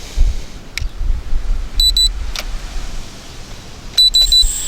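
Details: JJRC X1 brushless quadcopter after a 300–400 ft crash, powered off and back on: two short high beeps, then three more, and a thin high whir starts as it arms normally.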